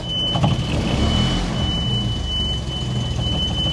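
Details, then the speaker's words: Jaguar XKE stored for years, first move under own power after fuel pump service and new clutch hydraulics, reversing, brakes not yet working: low engine rumble with a faint steady high scrape of dragging brakes. "You can hear the brakes dragging there. This car, of course, does not have working brakes yet, but that's a huge success."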